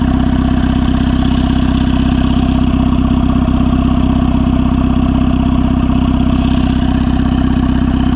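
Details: Turbo Honda Civic (R18 turbo kit) with open crankcase vent; even, steady idle at about three beats a second with a low hum, no ticks or stumbles; normal idle.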